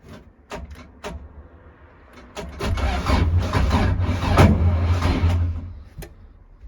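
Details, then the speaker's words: Ford Escort Mk2 with an intermittent click-no-start fault, no battery fitted, running on a jump pack; a few sharp clicks then a brief rough churn without proper cranking, jump pack suspected of lacking power. "Yeah, it's strange cuz it did click a couple of times first. Uh I think cuz there's no battery in it, the jump pack's struggling with a with a lack of power."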